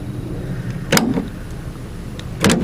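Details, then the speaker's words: 2016 GMC Sierra tailgate power lock actuator, panel off, engine running; the tailgate won't stay locked. Two short motor whirs with a soft clunk about 1.5 seconds apart, lacking pull; weak actuator, replacement due. "so I goes to the unlock it seems like it's kind of weak"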